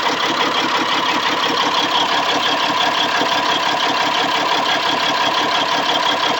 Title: c15 rough idle